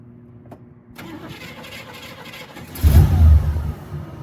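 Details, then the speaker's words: Warm start of a 1967 Buick Skylark 2-door hardtop, 300 cubic inch Buick V8, heard from the driver's seat. It cranks briefly, catches at once and settles into an even, deep idle through dual exhaust with polished exits. Normal start and idle. "so a nice even start. No trouble at all. Uh, I can even from where I'm sitting, I can hear the rumble of the V8 through the uh, dual exhaust with the uh, polished exits."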